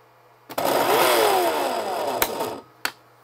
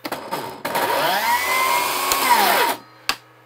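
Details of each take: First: Milwaukee M18 saw powered by plug-in inverters (the small one unhooked, only the big one left) whirs up about two seconds, then sags and dies with a click; the supply can't deliver enough power. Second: Milwaukee M18 saw on a dual plug-in inverter build with an inline M18 battery backfeeding: motor spins up to a steady even whine without cutting out, then winds down cleanly; normal run, suggesting earlier cut-outs were the saw's own protection.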